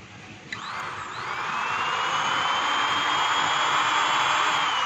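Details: Singer-type sewing machine motor, previously starting only intermittently and stopping after seconds, after repair: whirs up from rest and settles into a smooth, steady high hum with no stalling or cutting out; running normally.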